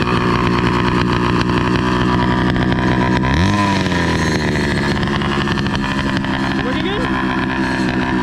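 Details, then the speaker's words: Motorized bicycle with two-stroke engine and NT carburetor: it putters, then flares up and sags unevenly instead of settling. The idle is unsteady; the carb seems not to get enough fuel, but the cause is unconfirmed. "what's going on is his bike is uh like having this weird idol like i was mentioning earlier because um it seems like his carburetor is not receiving enough fuel just to keep a steady idle"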